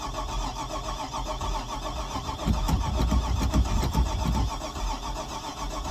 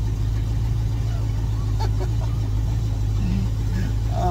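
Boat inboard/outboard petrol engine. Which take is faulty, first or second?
first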